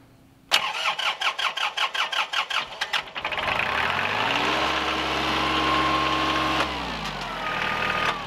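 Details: Kubota L3010 tractor with D1503-E diesel, first start after head gasket replacement and reassembly, fuel bled at the pump: about a dozen uneven cranking puffs, catches near three seconds, then a steady, even idle. Healthy start.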